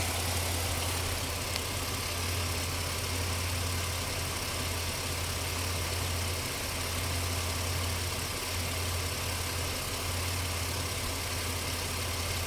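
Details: 2004 Ford Explorer petrol engine at idle with worn spark plug wires; a bad alternator or voltage regulator is also suspected. The uneven low hum dips and stumbles every few seconds, a rough idle. Cause not confirmed.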